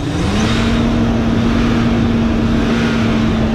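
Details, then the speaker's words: 2001 Chevy Suburban revved after fitting a brand-new AC belt and tightening the belts: engine revs up and holds steady with an even drone, no chirp or squeal from the belts; runs healthy. "It's been good, no squeaks. Let's give her a little rev."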